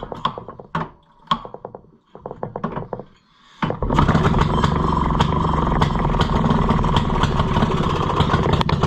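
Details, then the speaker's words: Maytag model 92 single-cylinder washing machine engine, just reassembled and first run, fires after a few starter pulls and knocks, then chuffs unevenly about 150 beats a minute running backwards; owner suspects timing not quite right, maybe flooded. "oh fired backwards never had that happen before we might not have the timing just perfect"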